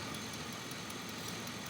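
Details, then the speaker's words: 2003 Chevy Avalanche 5.3 V8 with P0300 random misfire, after replacing injectors on cylinders 2 and 7, one O2 sensor still unplugged; quiet smooth idle, steady hum, no stumble, misfire counter shows no misfires on any cylinder. "well i've changed both injectors on the two and seven and as you can tell it's running smooth it sounds good"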